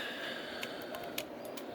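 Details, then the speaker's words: Yaesu FT-757GX transceiver that no longer keys up, suspected short or weak regulator: several crisp clicks over a faint hiss as the RF amp switch is worked; the RF amplifier relay is switching normally. "the relays are clicking in there. I know that for the RF amp. You can hear that. It's switching."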